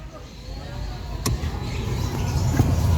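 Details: Mitsubishi Mirage G4 with a newly installed cheaper replacement A/C blower fan motor, tested after installation. A click, then the blower rushes up into a smooth, steady whoosh with no squeal or rattle; it runs normally.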